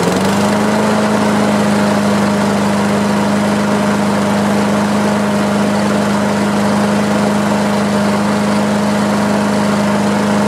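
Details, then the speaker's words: Craftsman self-propelled push mower after fitting a new gapped spark plug and a new air filter, replacing a dark fouled plug: steady, even engine note holding constant speed with no misses or surging; runs much better, normal running. "Much better. So all I need is that one little part for the wheel, and this one's going to be ready to go."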